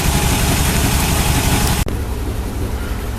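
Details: Chevy El Camino, sat about a month and a half, no-start traced to an empty tank behind a broken gas gauge: steady low rumbling idle with an even beat, no misses or knocks, brief dropout midway. Engine idling normally.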